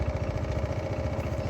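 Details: Honda ADV 150 scooter with newly installed NOCO NLP5 lithium battery, reassembled, idling: quick, even putter of about eleven beats a second, steady and unbroken; clean, healthy idle.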